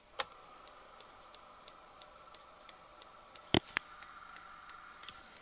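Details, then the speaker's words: AIWA TP-724 vintage portable open-reel tape recorder on 12 V bench power in play mode; light, even ticks about three per second over faint hum, like something hitting the flywheel; thought to be a sticky spot on the belt. "sounds like there's something hitting the flywheel let me flip it over and listen again"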